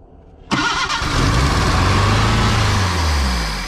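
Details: 1979 Datsun revived after 30 years, with a large broken vacuum leak plugged with a stick: engine cranks, catches quickly, flares up, then settles back toward an even idle without hunting or runaway revs; sounds fine.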